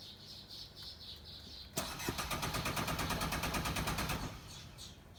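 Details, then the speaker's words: Car that won't start in cold or heat, water and wiring checked, on a very hot day: starter spins the engine at a steady rapid chug, about three per second, for two seconds, then stops without catching; cranks, no start. "ਲਓ ਜੀ, ਇੱਕ ਤਾਂ ਗਰਮੀ ਬਹੁਤ ਜ਼ਿਆਦਾ ਤੇ ਇੱਕ ਜਿਹੜੀ ਹੈ ਗੱਡੀ ਉਹ ਆਪਣੀ ਸਟਾਰਟ ਨਹੀਂ ਹੋ ਰਹੀ।"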